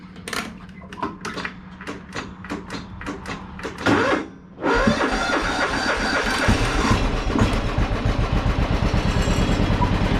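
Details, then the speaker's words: John Deere mower with 1,173 hours, restarted after being moved into the garage: single-cylinder cranks, catches, then a steady, slightly uneven, rich-sounding idle. It is loading up a little but otherwise not bad. "besides a little bit of loading up it's not bad"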